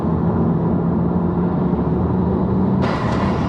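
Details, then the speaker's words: Mk5 VW Golf GTI on first road test after engine rebuild, under load: steady road drone then sudden sharp whoosh of escaping air; a boost hose came off, engine then cut out. "no i go i just had a boost hose come off did you hear that"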